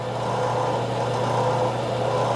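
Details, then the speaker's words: Craftsman 101 12-inch lathe motor after fix: end housings removed and rotated a quarter turn, capacitor wire extended. Steady low electric hum, even constant tone, no knocking or rubbing; runs smoothly. "So, as you've seen, it worked. So, it still works."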